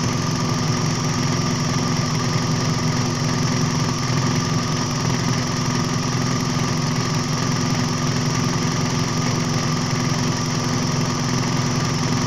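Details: Toyota Vios G, idle-surge fault traced to a faulty coolant temperature sensor: warm idle near 94–95 °C before the fan kicks in, smooth even low hum with no misses, knocks or hunting; rpm normal.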